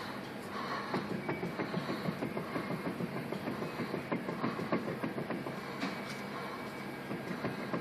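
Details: 2005 Mazda with a wheel bearing so loose the brake rotor rubs on the spindle frame, giving a rapid, slightly uneven clacking of about three beats a second.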